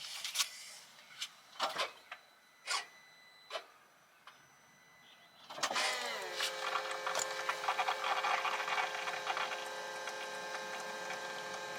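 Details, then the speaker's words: Volvo XC90 D5 after diesel fuel filter replacement, ignition on to prime. A few light clicks, then the electric pump whirs up to a steady high hum until it stops. Normal priming. "I'm going to prime it a couple of times until that pump stops working, just like that."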